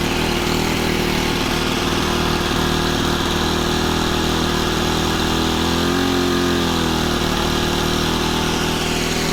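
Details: Honda FG110 with GX25 engine, new carburetor, previously ran only on half choke, idle set pretty high to warm up before tuning; steady even fast idle with a brief dip and recovery around six seconds; normal fast idle.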